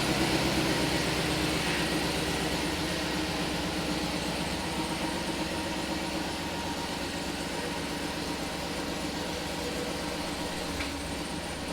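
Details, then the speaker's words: Turbo LS truck at idle after relocating coil packs under the manifold to stop plug wires melting, which caused a misfire: even smooth idle, no stumble, small exhaust leak audible at the dump; normal idle. "it seems to be running really good [Music] relocating coils are working out"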